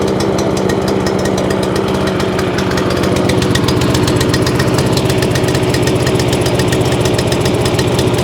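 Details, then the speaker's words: Free scrap overhead-valve mower engine after main jet work: uneven, lumpy single-cylinder chugging at idle, running as if on choke. Owner plans a new spark plug. Running rough; cause unconfirmed. "hmm that don't sound very clever do it that don't sound very clever at all"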